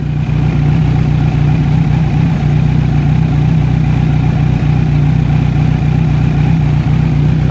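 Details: Kawasaki Z900 idling on its side stand, checked for the cam chain or rocker ticking that owners report: smooth, even idle with a steady low beat and no top-end ticking. Normal idle.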